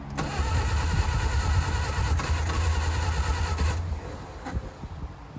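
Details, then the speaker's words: 1959 Reliant Regal Mk5 three-wheeler, not run in 20+ years, on choke with fuel trickled into carb: starter churning with ragged chuffing as cylinders briefly catch, then dies; fires but won't keep running. "Let's see what happens. Nothing. Little fire."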